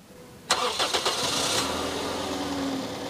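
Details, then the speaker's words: 2006 Toyota Yaris S automatic, 12 V 45 Ah battery, cranking voltage test: brisk cranking about one second, catches cleanly and settles to steady idle, no dragging starter; battery dropped only to 10.65 V, normal start. "kemudian kking test kita akan coba berapa volt Dia turun ketika di start"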